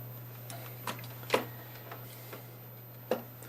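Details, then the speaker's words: Sharp irregular ticks, about one every two seconds, over a quiet steady hum: a small handheld Geiger counter crackling as it picks up radiation from an old, possibly radioactive, camera lens. "this is the world's smallest Geiger counter google for electronics gold mine I don't know if you can hear it crackling away"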